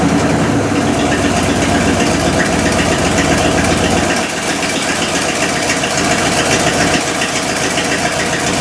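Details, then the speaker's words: 1972 Cadillac Miller-Meteor hearse V8, first run since 1995, fed 91 octane into the carb bowl; loud, steady, lumpy idle with no misses, settling after a few seconds; oil pressure sounded okay; runs normally. "[ __ ] yeah has it ran since 1995 today it's quite the jump go oil pressure didn't sound that bad"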